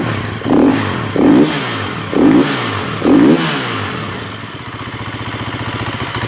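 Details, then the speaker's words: 2015 Husqvarna FE350S single-cylinder four-stroke after top-end rebuild (piston, cam chain, aftermarket tensioner), warming up: four crisp throttle blips rising and dropping cleanly, then even idle; motor sounds good, coolant pushed from overflow when revved. "Motor sounds good though."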